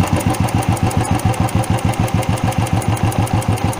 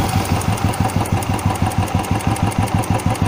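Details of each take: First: Single-cylinder carburetted bike idling after the throttle screw was turned down: slow, lumpy idle of about three beats a second with a tapping edge, close to stalling, so the idle speed is set too low. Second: Single-cylinder carbureted motorcycle after throttle stop screw adjustment: steady, even idle with a regular low thump, about three pulses a second, set high enough not to stall in traffic; normal idle.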